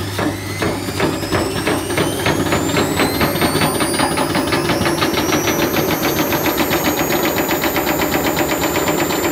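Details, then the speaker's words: Candy Grand'O Vita GVC D91 CBB tumble dryer fitted with a universal washing machine motor, belt tracking off to the right side: motor whine climbs with speed over fast regular slapping as the drive belt flaps around. "it seems to be flapping around a bit"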